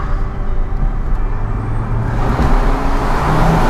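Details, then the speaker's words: Ford Focus RS after catalyst fix and new three-inch downpipe: deep engine roar builds steadily under load through an echoing tunnel, pulling cleanly with no misses or stumbles; normal acceleration. "but bloody hell man that sounds good that sounds"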